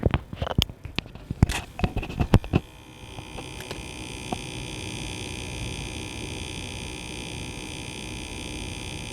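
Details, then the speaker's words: 2015 Ford C-Max plug-in hybrid, car on, from the dash slits: fine steady high-pitched buzz from the failing AC cabin humidity sensor, audible even on the highway; a replacement Ford part failed the same way. "It's this very fine buzzing noise, and I've narrowed it down. I've figured out what it was. It is the air conditioning humidity sensor, so it's what senses the humidity inside the cabin, relays that to the air conditioning controller"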